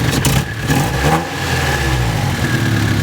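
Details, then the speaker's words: Nissan S14, recently retimed: engine revs unevenly with stumbling irregular pulses, dies when a sensor is plugged in and revved, gas smell; owner suspects that sensor; breaking up under revs, cause not confirmed. "right now it's running fine and then you plug it in and you go to Revit just died"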